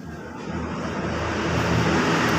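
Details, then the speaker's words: Honda Vario 125 FI scooter after rebuild with new piston: even, smooth engine note building slightly, no ticking, knocking or rattle, no smoke; healthy. "Hai sekarang Coba langsung kita Ipin lagi hai hai the best sekarang untuk karena sudah ringan untuk kondisi suara sudah halus ya karena ini Krisna sudah baru sama kampret sudah baru dan juga sudah tidak berasap"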